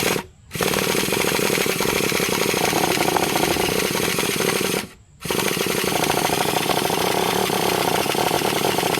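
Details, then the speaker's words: Traxxas T-Maxx 3.3 nitro RC truck with OS carb, aluminum flywheel and clutch, dead cold first run on stale fuel: harsh steady starter whir in two bursts, engine never catches; starter one-way bearing slipping, air leak also suspected. "Starter's the one-way bearing absolutely slipping. You can hear it. If it wasn't slipping, it would have started already."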